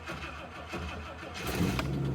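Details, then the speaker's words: 1967 Rolls-Royce Silver Shadow, just back from the shop: sluggish, uneven cranking for over a second before it catches and fires; it normally starts right up, and the battery is low and needs replacing. "I don't know what, it normally fires right up, I gotta be honest. But it's because the battery's low, and I need a new battery for it."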